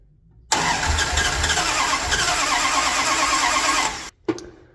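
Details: 1978 Dodge D200, 100,000-mile big block 400 V8 with 727 automatic, after reseal, new timing set and ignition parts: short crank, then lumpy uneven catch that dies after seconds; plug wires fitted clockwise instead of counterclockwise, only cylinder 1 correct, so misfiring.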